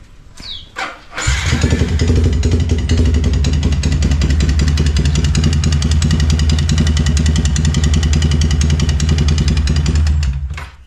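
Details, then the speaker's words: Yamaha Vixion motorcycle with a very noisy engine, before repair: fires up and settles into a loud, harsh, clattery idle with an uneven beat; rough noisy engine, cause not yet known. "Ya, kurang lebih seperti itu ya coy suara mesinnya. Ada konser DWP di dalamnya."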